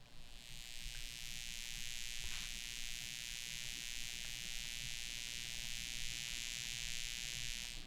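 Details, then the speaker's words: M-Audio BX8 monitor, level control at the zero position and at maximum: steady, loud high-pitched hissy buzz from the tweeter, linked to the toroidal transformer, unchanged when the toroid is rotated; transformer interference. "you'll hear that buzz, and it's quite loud to the ear. It makes no difference if I turn the toroid around."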